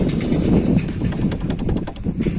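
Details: Tata Indigo rolling, before the fix: loose, irregular metallic clatter over low road rumble from brake caliper slider pins rattling.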